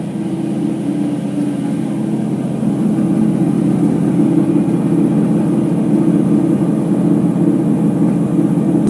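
Loud, steady low rumbling roar at full spin with no smooth hum underneath, the usual sound of worn drum bearings.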